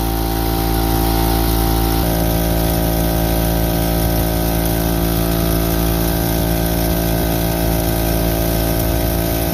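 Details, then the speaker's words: Harbor Freight Central Pneumatic air compressor after a top-end rebuild: steady, clean motor hum with a regular pumping beat and no knocking. It previously stuck at 35-40 psi making weird noises; now it rises straight to cut-off pressure and shuts off normally. "As you can see, it just went straight up to where it's supposed to be, turned off, everything worked good."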